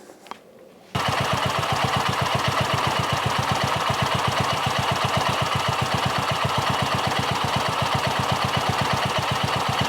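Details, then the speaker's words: Polaris RZR 170, 169cc four-stroke carburetted engine, warmed up, choke off, after idle screw and pilot air screw adjustment toward 1700 rpm: even, quick idle, no longer sputtering or backfiring, though it still bogs at full throttle. "so this certainly is a much better smoother idle it's no longer sputtering or backfiring sounds pretty good"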